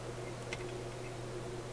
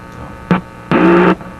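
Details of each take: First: Simplex antique vacuum tube radio, continuity test of the front antenna coils across the band switch: two clean high beeps over a steady hum, confirming the coils are good. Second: Simplex antique vacuum tube radio on restricted power (probably around 90 V), front end not receiving: quiet background, then a short hum burst and a longer loud buzzing hum as a finger touches the front tube input; later stages amplify.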